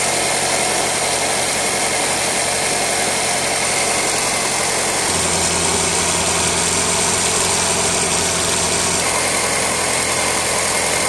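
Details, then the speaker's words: Toyota Camry 2.2L 5S-FE I4 after timing belt tension reset, with new belt, water pump, seals and pulleys; steady even idle with smooth hum and light hiss, belt only flutters slightly, no slap or rattle; normal idle. "yeah much better look for the belt what's going up and down like this over here now it's only going like this it's like a flutter"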